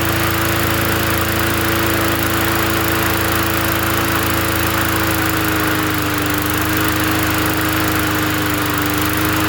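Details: Free 20-inch Bolens gasoline push mower from the dump, first run after adding gas: a steady, even drone with only a slight sag in pitch, no surging or misses; the engine runs smoothly and healthy.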